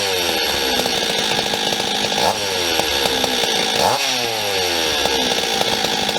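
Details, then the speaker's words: Stihl 026/MS260 two-stroke chainsaw, warm, revving up and down: dry metallic chatter under the engine note, attributed to an old worn piston rattling in its bore; cylinder looks mint on teardown, with crank seals and bearings also planned. "Just looks like an old wore-out piston to me. If you guys go back to the video where we test ran it, you could hear the piston rattling."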